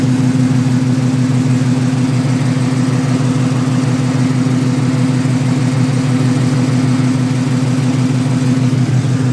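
Steady low idle with an even puff about once per second riding over the engine note; sounds like an exhaust leak, not yet pinned down. Cause suspected, not confirmed.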